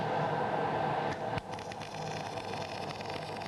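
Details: MIG (GMAW) welding carbon-manganese steel plate: steady frying arc hiss with a slightly ragged crackle, arc not quite settled into short-circuit transfer; wire feed speed likely a touch low and needing a little more.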